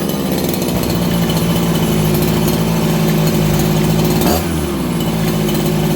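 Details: Farmertec 288XP kit chainsaw after ignition repair, about 5°C, low jet richened: raspy two-stroke buzz holds steady, then drops cleanly toward idle without bogging; crisp throttle response and normal idle.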